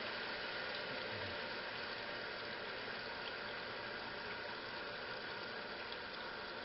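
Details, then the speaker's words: 1956 Whirlpool Imperial belt-drive washer, restored, in wash agitation after fill: steady, even churning drone with soft back-and-forth swish and no knocks or squeals; agitator running normally. "and look at her dog making that distinctive sounds only whirlpool belt-drive can make oscillating up very comforting"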